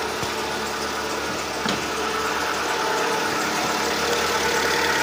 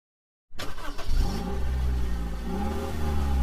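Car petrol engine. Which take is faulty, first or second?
second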